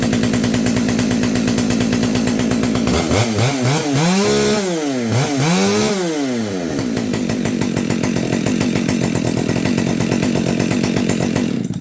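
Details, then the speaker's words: Husqvarna 572XP chainsaw rebuilt from salvaged parts, muffler modded: idles evenly, blips up and down twice cleanly and returns to a steady idle before shutoff; runs healthy and responsive. "I think we got a saw here. I really do."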